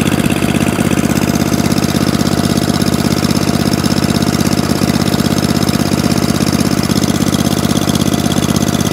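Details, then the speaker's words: Atco Balmoral 20-inch mower, Tecumseh engine, after carburetor clean and mixture-screw tuning at full revs (still not idling down as low as wanted); popping steadily at fixed speed, no hunting, stalling or misses, no fuel leaks; repaired and healthy. "oh so it starts runs drives cuts and stops and even now no fuel leaks one echo barrel moral saved spares or repair back up and running in the mixed mower shack"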